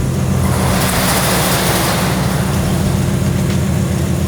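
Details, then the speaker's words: BMW M4 Competition with newly fitted big turbo, idling: rough puffing exhaust with raspy hiss from a massive downpipe exhaust leak, caused by only one flex joint instead of two. "We have a massive exhaust leak right now. You can hear it. Majority of the exhaust is right here."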